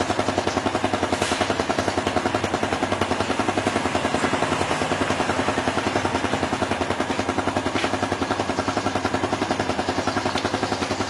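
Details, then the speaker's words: Yamaha Jupiter Z1 (type 2SU/1DY) single idling after cleaning the fuel pump and replacing the fuel filter: even, steady putter about 214 beats a minute with no misses or knocks; healthy, smooth idle with no problems. "Jadi ini perputaran mesinnya sudah sangat mantul, nggak ada kendala sama sekali."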